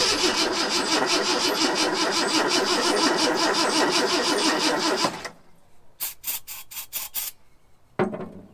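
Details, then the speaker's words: Long-parked 1974 Ford F100 with gasoline poured into the carburetor: uneven, sputtering firing for about five seconds, then it dies with a few ticks. Owner suspects a clogged carburetor and plans a carb kit. "But it is sort of running, but I'm pretty sure that carburetor is good and clogged up."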